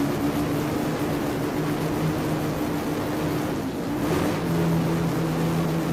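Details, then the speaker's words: Mazda Miata with twin-turbo 12-rotor rotary swap, Haltech ECU, running on ethanol, oil pressure good, throttle tipped in: smooth steady buzz rising in pitch, no misfire or rattle; makes boost cleanly. "We have boost. Oh, yeah. No, yeah, we're good. Yeah, we're good."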